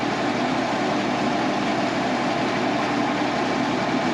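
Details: Wood-Mizer LT35 sawmill, 25 hp Kohler engine, idling after carburetor swap: even, steady idle hum with no stumble or sputter; previously had a big sputter at idle (not when engaged), now idles cleanly after carb replacement.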